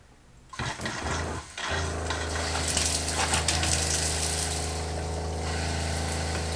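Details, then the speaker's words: Campervan Shurflo water pump with LPG instantaneous hot water heater running: pump kicks in with even low hum under steady rushing water, no surging or rattles; hot water reaches 39 degrees, no leaks, all working normally. "okay we're getting hot water also 39 degrees everything's working perfect no leaks so that's good"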